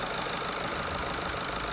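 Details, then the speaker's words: Skoda Superb 1.6 TDI diesel idling after injector replacement; steady, smooth continuous hum with no knocking or ticking, night and day versus before; normal healthy diesel idle. "This is what it should sound like. Yeah. Night and day, mate. 100%. Night and day. No knocking noise. You can't hear anything knocking, but smooth as anything."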